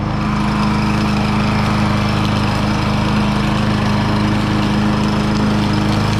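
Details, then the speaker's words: Troy-Bilt TB110 mower rescued from the trash after sitting, test run with air filter refitted: single-cylinder engine holds a steady even beat with no misses or surging; earlier smoke no longer seen, likely muffler. "Okay. I didn't see that smoke this time. Maybe it was just the smoke from the muffler."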